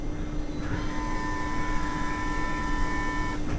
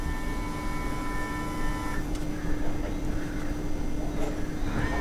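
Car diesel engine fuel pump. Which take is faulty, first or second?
second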